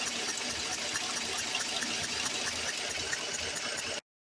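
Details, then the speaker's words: 2014 Chevy Silverado 4.3 V6 direct injection, P0300 misfire and P219B codes, rough idle that smooths under power: quick even ticking about four per second under intake manifold, compression escaping past a blown fuel injector seal, oil around that injector. "So because this is direct injection, that noise we're hearing is compression escaping past this injector here."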